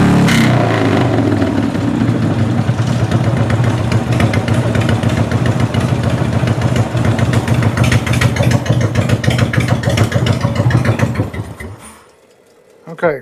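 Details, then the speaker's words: Sluggish Harley Evo Dyna V-twin, hard to start cold: even idle lope, then clean crisp throttle blips with no pinging or popping; timing sounds spot on. Only 9 volts at idle, so charging fault suspected in rectifier or stator. "But, I mean, it sounds like his timing is is spot on."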